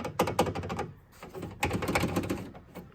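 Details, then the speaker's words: Chevy SSR door latch rod rattling inside the door when bass plays: quick light metallic clicking and tapping in bursts. "and uh I heard a lot of talk about the the uh the door latch Rattle and it does I narrowed it down to this is"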